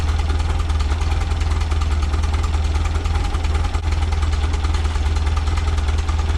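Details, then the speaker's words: 1976 Volkswagen Westfalia bus, air-cooled type 4 flat-four with newly fitted dual Weber 40 IDF carbs (no chokes), cold start, accelerator pumps still needing tweaking: even, steady low idle with smooth regular beat, no knocks or misses; idling cleanly. "cold start again idf's do not have chokes so we're gonna fire it up and I still need to tweak the accelerator pumps a little bit"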